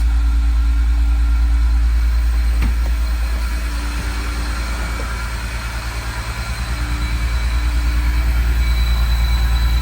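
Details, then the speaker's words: Flood-submerged 2006 BMW E46 M3 first start, booster pack on, mass airflow sensor disconnected, no cooling system: low, uneven thrum pulsing about three times a second, burning off residue; owner hears a vacuum leak; rough idle. "He's going to be burning some stuff off. Oh, yeah. I can hear the vacuum leak."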